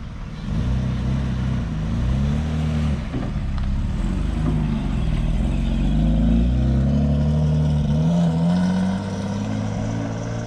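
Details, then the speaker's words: Naturally aspirated six-cylinder engine in a camper van, revved: smooth, even hum rising and falling with throttle, no knocks or misses; healthy, well-running engine. "Ça tourne bien en Atmo, hein. C'est cool le bruit aussi du 6 cylindres, bien comme ça."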